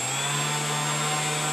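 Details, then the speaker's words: RC aircraft brushless motor run up after unplugging and replugging the ESC, which chirped and armed once connected to the receiver: clean, steady whine at one even pitch with no stutter or cogging, running normally. "Happy days. And now everything's working exactly how it should."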